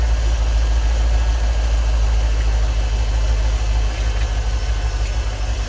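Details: 1989 Ford EFI 460 V8 tow truck idling with lights on after 3G alternator upgrade, drawing about 17 amps: low steady idle with no dip, hunting or whine; charging sounds healthy, though the alternator squeaked on revs.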